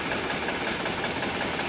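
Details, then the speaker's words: Balwan 450 diesel tractor after fitting a hard-to-find hydraulic pump and adding hydraulic oil, started to test the hydraulics by raising and lowering; even, steady idle clatter with no misses, knocks or surges; hydraulics working fine, normal running. "लिए tractor को start करते हैं और इसके hydraulic को up और down करके हम इसको चेक करते हैं"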